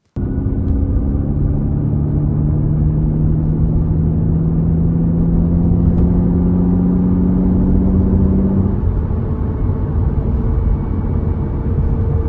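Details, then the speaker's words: Aston Martin V8/V12 six-speed gearbox in sixth gear at about 65 mph, light throttle, gradual acceleration: steady low whine rising with road speed, gone once more throttle and load come on; normal gear whine, no failure expected. "so this is sixth gear at about 65 mile an hour we're just very lightly resting our foot on the throttle and just going for a gradual acceleration and you can hear this noise quite intrusively in the"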